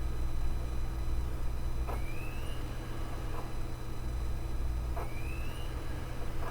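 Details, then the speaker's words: Desktop ASUS optical drive writing a DVD-RAM disc: over a low steady hum, a rising whirr repeats every few seconds as the disc spins up again, the same as the laptop drive; normal for the format. "so it certainly seems as though the behavior from the laptop drive isn't necessarily abnormal for the format"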